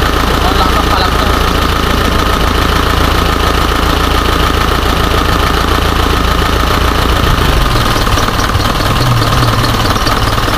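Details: Isuzu 4HJ1 diesel with low power and hard starting: loud idle clatter with an uneven, stumbling beat about three pulses a second; rough idle, cause not yet pinned down.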